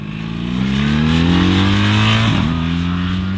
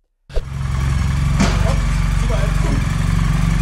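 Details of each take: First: BMW R 1300 GS boxer twin revving smoothly with evenly rising pitch, then settling, no whine or knock; a mechanical hum is heard only when cold, warm it makes normal boxer sounds, slightly quieter than the old GS. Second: BMW R 1300 GS boxer with a cold engine: a busy mechanical clatter over a steady low hum at about four beats a second. The hum is said to be heard only when the engine is cold.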